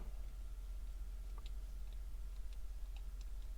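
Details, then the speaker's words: Aquatico Dolphin 39mm NH35 dive watch: light, irregular clicks as the loose rotating bezel, with much back play and a gap underneath, taps against the case constantly even when not used. "like it's really loud even when you're not using it it just touches against something and just click click click i'm not a fan"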